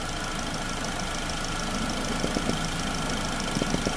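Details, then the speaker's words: 2009 Chevy Cobalt at 370,000+ miles, warm idle: short bursts of light, quick clicking over the engine as the original vapor canister purge valve kicks on; operating normally, replaced anyway. "Now you can hear it. Hear it kicking on. So, I'm going to go and replace this one. Uh, even though it appears to be good, uh, this one's lasted over 370,000 mi."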